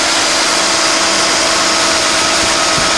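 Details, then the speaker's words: 1991 Mercedes-Benz 420 SEL that broke down on a hot day, after ignition troubleshooting, with distributor cap and plug wires refitted in sequential firing order: steady, even idle with no misses, running much better. "Sounds like it's running a lot better."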